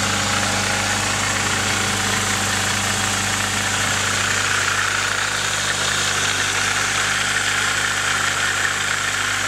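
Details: Nissan 240SX KA24DE at steady idle with a fast, light rattling tick over the engine note; owner suspects timing chain noise, not confirmed.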